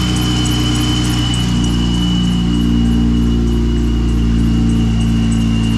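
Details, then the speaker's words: Jeep idling with a steady high-pitched squeal over the engine that never changes pitch; owner has fought the squeak a long time; worn idler and tensioner pulley bearings make the serpentine belt squeal. "uh I've been dealing with this squeaky freaking Jeep for ever"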